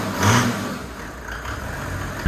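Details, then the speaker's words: Datsun 240Z turbo diesel swap, starting after glow plug warm-up following crash repairs and intake mods: catches at once and settles into an even low diesel rumble, no misses or knocks. Normal idle. "And I'll let that run for a few seconds, and it should fire right up. Started right up."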